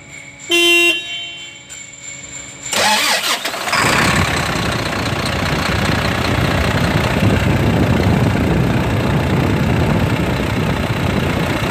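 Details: Volvo FM 400 truck, D11 diesel, after fixing a cranks-but-won't-start, hard-turning engine caused by a jammed idler pulley installed backwards: cranks, catches and settles into a steady, even idle with no knocks or squeals.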